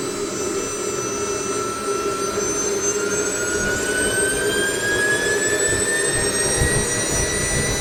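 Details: SWIWIN SW220B micro jet turbine on test stand, third run with max rpm limited to 110,000; steady whine climbs smoothly over even roar, 3.5-second acceleration, about 45.5 lb thrust at 110,000 rpm, pump auto-calibrating, no surging; normal full-speed run.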